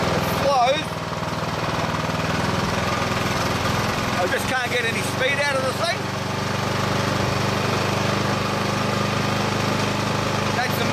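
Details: Old Briggs and Stratton lawn mower engine, roughly 20–25 years old, on choke with speed lever at full: a steady low drone that never climbs, stuck near idle; after the fix it revs through the full range.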